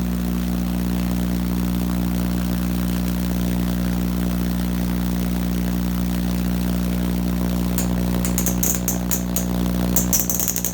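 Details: Vacuum tube Tesla coil (VTTC) producing a loud, steady buzzing tone with no pitch change and crackling spark hiss near the end. It runs at an unexpectedly high or low pitch compared with the resonant frequency; the owner doubts grid leak.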